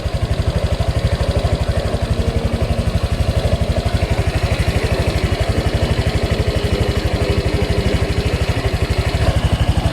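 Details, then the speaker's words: Honda Click 125i/150i scooter after a magneto/stator refresh and repaint, with the fan running: quick, even putter of about four pulses a second, steady and quiet with no knocks or rattles; healthy idle. "So, yan na siya mga Pops. Ganda na ng ano ni Pops B-Boy, tahimik na. So ito, okay na siya."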